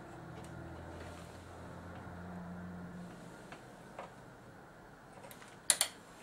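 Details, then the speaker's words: Quiet room, faint ticks then a sharp double click as the relay pulls in at power-up on a Samsung PS42A451 plasma (S42AX-YB04 panel) entering screen service mode by shorting two pins; normal. "the relay clicking. Notice that one of these LEDs came on briefly and then went off."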